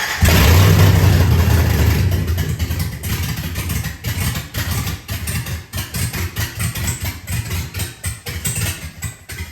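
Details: LS engine in an SS 454 tribute truck, first start after the engine was pulled and the wrongly fitted intake manifold was swapped for the correct one: catches with a loud surge, then settles into an even, steady idle pulsing about four times a second; normal start.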